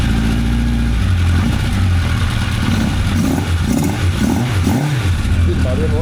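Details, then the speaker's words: 1985 Honda CB1100F inline-four, first start after 20 years in a barn, carbs cleaned and new gas; revs to about 9,500 rpm, slight stumble on first blip, then crisp even revving back to idle; runs as it should. "So, you just saw it run uh uh runs as it should, it sounds like. Uh just check the gears. It goes into gear. Uh I was up to around 9 and 1/2 thousand rpm. First time it was a little bit bogging, uh but the second time it went fine."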